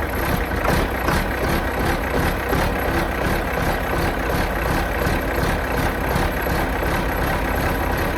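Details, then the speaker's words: 4640 tractor diesel with a newly installed exhaust elbow and muffler idles evenly with a steady low throb and regular exhaust pulses, no leak puffing or rasp; normal idle. "I'll probably get us an extension, but let's see what it sounds like with a new muffler on it."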